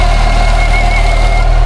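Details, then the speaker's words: Lotus Evora 400 at idle, reverted from power mods and tunes, with a persistent air intake fault code and a recent roadside stall: a steady high whistle over an even low idle, cause unknown. "Do you hear that whistling sound?"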